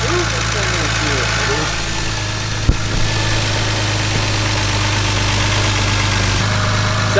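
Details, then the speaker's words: Engine with a freshly fitted cylinder head, recently run for the first time after rebuild: smooth, even idle with a steady low hum and no knocks, ticks or misses; the head is quiet and nothing is leaking. "Sounds good. Right? It sounds really good. It's great. This one has the fresh head on it, right? Yep. The head is quiet."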